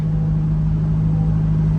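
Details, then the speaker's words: Corvette C8 driving after a transmission replacement: smooth, steady engine drone with no whine, clunk or grinding; shifts smooth, no dash lights, no odd noises; normal. "all right let's see how she drives hey she shifts nice and smooth no lights on the dash"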